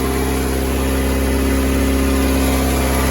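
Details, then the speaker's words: 1988 VW Polo MK2 breadvan after carburettor clean and refit, cold and still on choke: steady, smooth but noticeably high idle with no misses; owner thinks choke not yet off, engine later stalls. "It's just revving a bit fast at the moment, but that could be because the choke isn't off yet."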